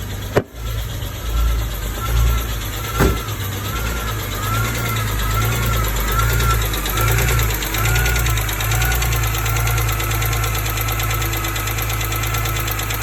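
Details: 2005 BMW E46 M3 engine, recently bought; ticking began the day after a hard long drive; idle after startup with light, fairly regular tick. One mechanic blames a pitted exhaust-side rocker arm, another suspects rod bearings; dealer advised valve adjustment; unconfirmed.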